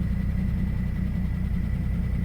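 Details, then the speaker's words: Old engine in Minnesota winter cold start after sitting about a week, said to sometimes not run on all four cylinders, idle air control valve replaced for stalling: even deep idle rumble, no stumbles, running on four; normal idle. "Sounds good to me. Yeah, it sounds fine."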